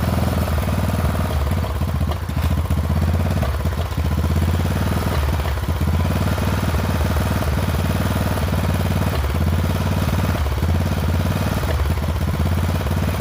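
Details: Poulan XT 12538 riding mower, 12.5 hp, 38-inch deck, warm, running a new carburetor that replaced one leaking gas into the crankcase: low, heavy chugging with uneven dips and stumbles instead of a clean idle. Rough running; owner suspects valves need readjusting.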